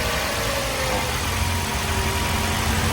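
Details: 2017 Toyota Yaris petrol that started and then stalled after driving through water: after the in-tank fuel pump was replaced, the engine idles steadily with a low, even hum and no stumbling or dying out.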